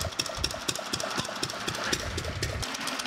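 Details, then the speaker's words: Fairbanks-Morse Model Z throttled-governor engine (7 HP ZC 118 natural gas oil field engine), unloaded freewheeling: steady thumping about four beats a second with sharp clatter, easing as it stops firing and rpm drops before kicking back in; normal. "we don't have a load on it right now so it's just kind of freewheeling but it'll actually uh quit firing the rpms will drop down and then it'll kick back in and kind of get back up to speed"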